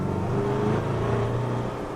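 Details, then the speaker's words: High-mileage car, intake manifold leak previously repaired, road test at full throttle in second gear under load uphill, where it normally chirps: smooth, steady pull with no chirp or squeal, so the belt drive sounds healthy. "hear any chirping there we just go up a few more hills load up the engine and see what it sounds like that sounded pretty quiet then didn't it"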